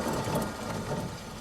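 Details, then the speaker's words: 1998 Mitsubishi Mirage front wheel spun by hand before removal: rough, gravelly rumble fading as it slows; badly worn press-in front hub bearing, noisy despite no play. "that right there is a really bad wheel bearing that will make a ton of Racket going down the road"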